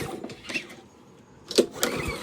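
Two quick rope pulls turn the engine over with some compression but no firing at all, which points to no spark.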